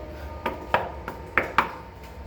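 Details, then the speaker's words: Wall tile in a damp spot, tapped five times: sharp hollow ping marks a loose debonded tile; removal showed almost no adhesive behind it and tile adhesive applied straight on without plastering. "плитку эту тоже сейчас сниму она стучит"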